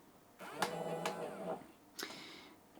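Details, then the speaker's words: Karlsson Big Flip wall clock (one AA plus two D cells) while setting the time past midday: a short soft motor whir of about a second, then a brief second burst as the flap turns to change day or AM/PM; normal mechanism. "so if i carry on i'll hear the motor go in preparation to do this"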